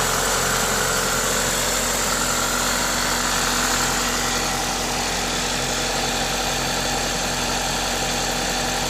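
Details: Toyota 2ZZ-GE engine at idle with an aftermarket induction kit: steady, even idle with a loud intake hiss from the kit, no ticking or knocking; normal, healthy engine noise.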